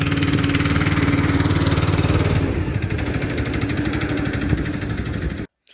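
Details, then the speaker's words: Free Craftsman LT2000 lawn tractor, parked about 6-8 years, running after cleaning solenoid and ignition switch connections: even, steady engine beat about three pulses a second, no misses or knocks, until shut off; normal running. "so that's her running nicely"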